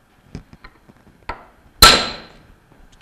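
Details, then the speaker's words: Bell & Gossett Series 1510 pump bearing assembly, front bearing tapped onto the shaft with a mallet: one blow rings brighter and louder as the pitch changes, showing the bearing has bottomed against the shaft collar. "as we approach the collar that the bearing bottoms out on you'll hear the pitch change when I hit the mle"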